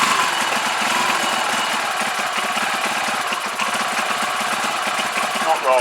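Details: CPI SUV125 scooter just after carb clean and rebuild, choke held up; small single idles unevenly with a choppy, stumbling beat; rough running, cause not yet found.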